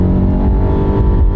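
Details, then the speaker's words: Nissan Rogue CVT under acceleration: loud constant low drone held at one pitch, revs pinned like a motorboat engine; not particularly slipping, though the person who brought it over felt a shift (the CVT's fake shift). "makes an awful lot of noise though that's the problem with these cvts it's like a motorboat engine it goes okay it's not particularly slipping"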